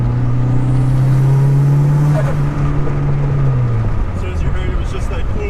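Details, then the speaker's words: Turbocharged Toyota MR2 AW11 with a cheap eBay Tial-style blow-off valve, tuned and data-logging: steady drone under power, then a clean airy whoosh on lift-off with no flutter; normal venting, not squeaky, and it feels better between shifts. "it's not like a super VC you know super squeaky it's not super squeaky Porsche so it's pretty good"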